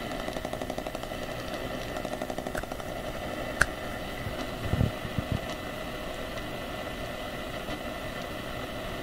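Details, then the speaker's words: Continuous raspy, pulsing electrical buzz with scattered clicks swamping an AM radio tuned to 1215 kHz; owner suspects the wall-wart power supply of a USB hub, whose noise seems to shift frequency as devices are unplugged. "if you unplug things and things get noisy at this what in heaven's name is going on unless this is changing the frequency of that noise"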